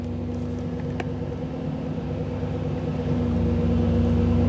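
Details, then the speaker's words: 1985 Camaro IROC-Z TPI with rebuilt engine, in neutral with an OBD-I scan tool connected: a raised, slightly uneven fast idle with random misfire, because the tool advances the ignition timing; it calms down once the tool is unplugged. "ol while I was debugging the engine and I couldn't get the idle down it kept running fast like this and if you go back and listen to the exhaust uh the the timing is also increased and the timing is high enough that you start getting some uh random misfire in neutral"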